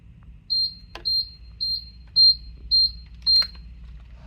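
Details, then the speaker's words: Pride Mobility scooter at switch-on: six sharp high beeps, about two a second, the controller code for a failed throttle potentiometer; fix is replacing the throttle potentiometer. "and this repair is going to indicate that your throttle potentiometer has gone bad"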